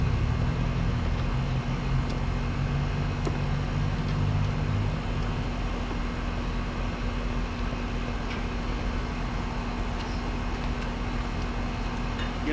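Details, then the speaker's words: Split-system condenser after condenser coil replacement (old coil restricted, causing high-head-pressure shutdowns): steady fan rush over even compressor hum, constant low tone; running well, subcooling slightly low from being about 1.5 lb short of refrigerant; normal operation. "overall it's running good my sub cooling is a little low uh due to being just a little short on refrigerant"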